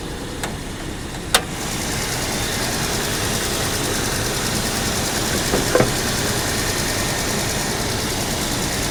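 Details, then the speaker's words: 2007 VW Passat, hail-damaged salvage car, heard under the hood. Earlier it was suspected it might be trying to misfire. A couple of light clicks, then a steady, even idle with no stumble or vibration. Sounds fine for now. "seems to be running just fine and the engine does not seem to be vibrating"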